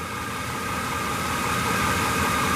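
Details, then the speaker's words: 1998 Chevy Silverado with Vortec engine, recorded at the exhaust after new battery, reinstalled gas tank and a short drive; exhaust had much water and condensation, blown head gasket feared; smooth even idle, faint whine, no misfire, no overheating; normal idle. "you can listen to that hopefully you can hear it there's no misfire"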